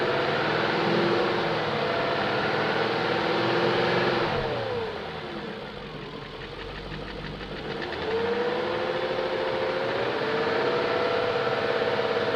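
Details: 2001 BMW E38 740i after Vanos rebuild, new Vanos distributors and intake cam-end gaskets: quick regular tick about three per second stays above engine as revs drop and rise; lifters checked, plugs tight, no codes, top-end source not pinned down.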